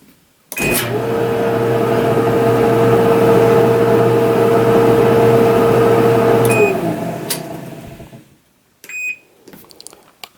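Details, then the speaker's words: Whirlpool Cabrio Platinum dryer after replacing the part with a suspected bad bearing: a smooth, steady drum hum with no squeal or thumping, then a beep and a clean wind-down. The noise is gone; normal operation. "As you can see, you can hear the noise is gone."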